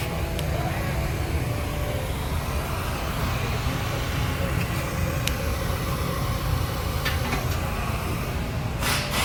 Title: F150 Raptor 6.2 L Misfire P0308 , coolant leaks to Cylinder.